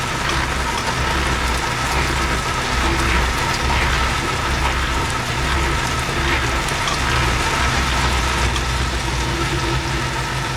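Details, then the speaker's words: Honda Element AWD rear differential binding on old fluid before a Dual Pump Fluid II change: uneven scraping, ratcheting noise while rolling, sounding like tyres rubbing but it's not. "All right, you hear that? So yeah, it sounds like the tires are rubbing, but it's not."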